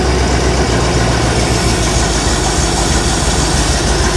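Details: 1975 Bricklin SV-1 V8, long stored unheated, low on ATF, possible frozen water in block: uneven, loping idle with ragged low puffing; rough running, owner suspects it needs more ignition timing and hears a possible exhaust leak.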